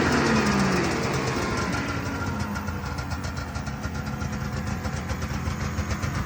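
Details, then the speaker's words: 1978 Arctic Cat El Tigre two-stroke snowmobile after a carb needle and pilot jet change and wiring fixes: settles from a rev into a fast, slightly uneven idle, a touch rich but clean. Running much better. "yep doing a lot better uh going to move forward now and get the uh tank plumbed in"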